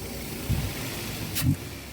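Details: Daihatsu Terios/Rush with hesitation and low power, no check-engine light but an ignition fault code, idling after an ECU reset by pulling a fuse: it fires and settles into a low, steady idle rumble with only a couple of brief thumps.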